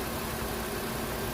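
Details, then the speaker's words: Nissan Versa/Sentra after AC compressor replacement, charging from low side with AC on at idle: smooth steady hum, no rattle, grinding or clutch chatter; compressor runs fine, about 35 low/150 high, blowing cold. "You can hear the AC compressor come down and that come on, and you can hear that go down."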